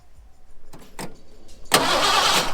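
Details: Ford F100 bullnose V8 that sat outdoors 11 years, after the starter wiring was sorted: a couple of faint clicks, then the starter bites and spins the engine steadily; cranking now works.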